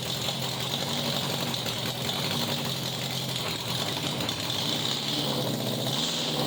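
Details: 1987 Honda Gold Wing GL1200 with electrical issues: intermittent cranking, exhaust backfire at key-off. Loud, raspy open-pipe idle with an uneven, stumbling beat instead of a smooth patter; rough idle, cause unconfirmed.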